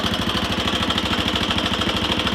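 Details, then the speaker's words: 1999 Honda XR200R single; idles steadily with a quick, even light tick over the beat; owner suspects valve lash out and a worn cam chain, a common problem on these: ticking at idle. "I started it right after I stopped the camera but if you can hear that ticking [Music] I'm pretty sure lashes out and a new campaign because I know common problems with these things is their campaigns get worn out a lot"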